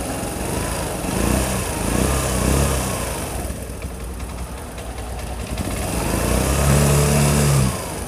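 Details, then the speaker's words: Imported carbureted Piaggio Vespa LX, hard to start and using about 6 L/100 km before servicing: small single-cylinder putter swelling and sagging in pitch every second, never settling; unstable idle. "cho nên là xe nó nổ khí trạng thái nó không được được được đấy"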